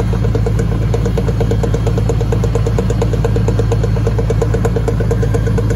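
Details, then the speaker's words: 2002 Chevy 1500 (Silverado) 4x4 on a lift with the whole truck off the ground; a click first thought to come from the transfer case is found to be a bad driveshaft U-joint, rapid regular clicking about three per second over the idle. "all right there we go there it is bad you joint"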